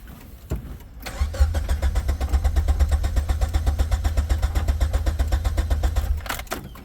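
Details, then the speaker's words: Suzuki/Geo Tracker 4x4 with a 5-speed, rusted, which quit during a test drive: even cranking at about four beats a second for five seconds, never catches; turns over but won't fire, owner suspects a bad fuel pump. "Here's the motor turn, but we ain't got no juice."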